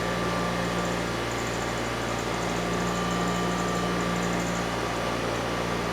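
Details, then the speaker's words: Early-1980s liquid-cooled twin-cylinder Honda EX5500 generator, discarded after its electric start failed, restarted after sitting 5 months. A steady, even drone with a constant low hum and no knocks or misses; it is running healthy. "Yeah, it looks like sitting for 5 months had no negative consequence on this machine. It still starts, engine sounds good,"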